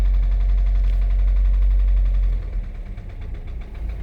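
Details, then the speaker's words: FSI MK5 VW Jetta GLI parts car, sat three years, new cylinder head after seized cam journal: low uneven idle sagging and wavering near stalling, rail pressure present; loose rocker cover adds noise; rough idle. "It's not running yet, but well, it's idling. Barely, but it's got rail pressure. I mean, it's not complaining about oil pressure, but she won't idle for me."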